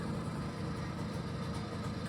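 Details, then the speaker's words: BSA Ariel 3 (K2) two-stroke moped during fuel-starvation checks, after priming the empty fuel system: steady low putter with an even beat and no misses, ticking over cleanly while warming up. Normal idle. "ticking over in the background there. Got to go in after a bit of a push. It takes quite a long while to get going when the fuel system is initially empty and you're trying to prime it again. But now she's primed, she should be all right."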